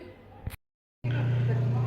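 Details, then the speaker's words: Samsung twin-tub washing machine, spin basket removed, spin motor running: click, pause, then steady low hum with no more squeal; normal spin motor run. "Como ven, ahí está girando el motor, amigos, y ya no se escucha ese rechinido que estaba haciendo."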